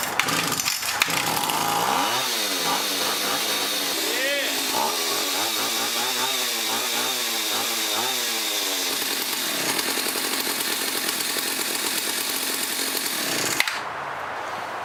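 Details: Neglected Husqvarna L65 chainsaw left in the rain for a year, after cleaning the air filter, carb and Champion plug, clearing bad gas and adding fresh two-stroke on full choke: it catches, revs climb and drop with throttle, then holds a steady high buzz; runs cleanly.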